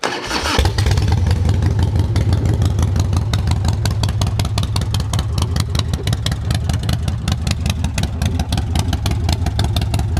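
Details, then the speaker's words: Older Harley Softail with a motor believed rebuilt (displacement and cams unknown), choked despite being fairly warm: catches after a short crank and settles into a steady, loping potato-potato idle with no knocks or rattles. A runner. "Alright, she's a runner."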